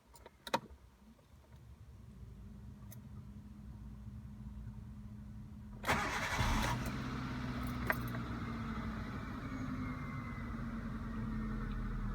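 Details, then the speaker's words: Hyundai Getz 1.1 GSI, after a major service with fresh oil (about 3 litres) following 41,000 miles and 4 years unserviced: starter cranks briefly, engine catches around six seconds and settles into a steady even idle, no knocks or rattles; normal start and idle. "Okay, what we're going to do now is we're going to turn the key so that all the dash lights come on, and then we're going to start the engine, make sure the oil pressure light goes"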